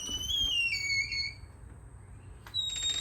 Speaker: All right, so we have a squeaky door here.